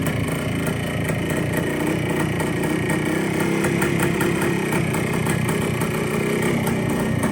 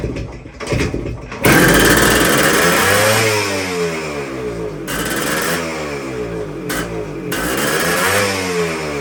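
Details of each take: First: Long-stored 1973 Kawasaki 175 two-stroke, sitting since the mid-80s, revived after carb cleaning: even, crisp idle with steady rapid popping, no knocks, rattles or excessive noise; top end sounds good, throttle cables still stiff. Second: 1973 Kawasaki F7 175 two-stroke, barn-stored since the mid-80s, first runs with idle adjuster turned down: revs surge up and down without throttle, idle running away; owner suspects a massive air leak, throttle closing fully.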